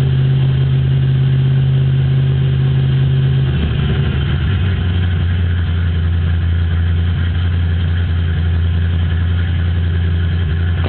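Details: 1995 GT with an aftermarket cam: engine holds a high idle with an annoying steady low hum, then the pitch drops lower; faulty idle air control valve, fixed by replacing it.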